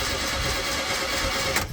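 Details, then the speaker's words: Mk1 VW Golf paddock find cranked with the spark plugs removed before fitting known-good used plugs: fast, even whirring crank with no compression beats at steady pitch, then stops; the engine spins freely as normal. "so the plugs are out we're just going to put some fresh good ones in that we know well fresh they're out of another car but we know they're good um I'm just going to turn it over without the plugs"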